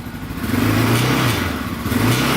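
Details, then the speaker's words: Yamaha Raptor 660R single-cylinder: as the revs rise and fall, a loose metallic clatter rides over the exhaust. Rattle when revving; suspected loose skid plate, later found missing a screw. "all right so right now we've got a weird rattle noise uh for those of you that haven't seen the previous video i'll start this thing up for you guys you can hear it when you rev it up"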